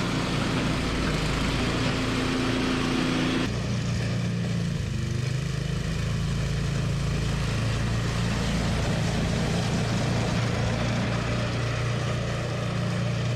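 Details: Toro 521 snowblower after replacing a blown drive belt: small engine holds a steady, smooth drone with no belt squeal or slipping; running normally.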